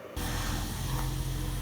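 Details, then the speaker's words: 2006 Toyota Prius Gen 2 after fuel tank replacement (failed pump embedded in tank, code P0A0F engine failed to start), pump powered from external supply to prime; short steady low hum switching on and holding: new fuel pump running normally. "so power on that's a good sign the pump's running I can hear it"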